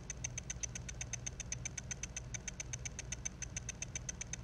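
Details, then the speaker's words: Dying, damaged Mac mini hard drive with a head crash: fast, even high-pitched ticking, about eight per second, over a low hum, believed to be the read head sweeping back and forth searching for the track. "then you'll hear some ticking sounds and those sounds i'm pretty sure are caused by the read head moving back and forth looking to see if it can find the track that is trying to read"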